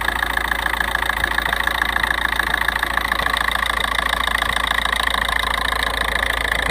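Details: 1.9 TDI diesel at idle: an even tick about three and a half times a second over the engine. The source is unidentified.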